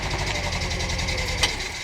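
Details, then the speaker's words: VW Bus with a freshly installed 1600 engine, carbs just tuned: fires right up with fast, even firing at idle and a steady hiss riding over the top; the owner suspects an intake leak, not confirmed. Engine running with hiss. "oh my god fire's right up i think i got an intake leak"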